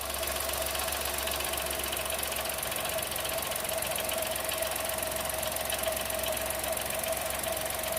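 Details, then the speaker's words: New Chevrolet Tracker 3-cylinder turbo, first cold start of the day at 8 a.m., microphone at engine with hood up: fast, even, light ticking over smooth idle; injector noise, normal per dealer mechanic. "acontece na primeira partida do dia geralmente vai fazer esse barulho porque porque os bicos injetores estão trabalhando"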